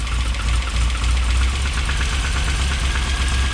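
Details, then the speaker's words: Triumph TR7 with twin HS6 SU carburettors, dies without choke: uneven, lumpy idle with irregular knocking pulses over low rumble, running far too lean; air leaks being checked, cause not confirmed; rough idle. "So she's obviously not getting enough fuel. Uh it's running far too lean."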